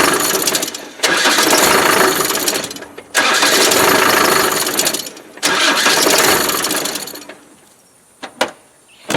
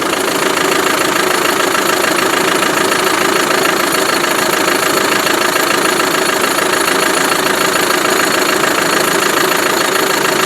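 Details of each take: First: Land Rover Defender from Ghana; harsh whirring starter cranking in three roughly two-second bursts with pauses, then sharp clicks; starter sounds wrong, cause unclear; engine also slightly smoky and losing vacuum. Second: Land Rover Defender diesel idling with an even, steady rattling clatter, no misses or knocks; sounds healthy though a bit smoky, possibly a blocked separator.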